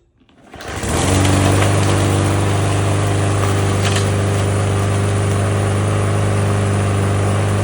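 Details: Lawnmower engine after replacing a clogged air filter and cleaning a debris-packed breather: starts quickly and settles to an even, steady drone with no misses or surging; runs smoothly and healthy.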